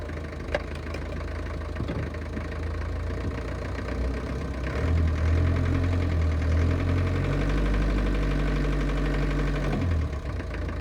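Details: 1968 Land Rover Series 2A petrol engine at idle: metallic knock tapping about three times a second; cause not yet found.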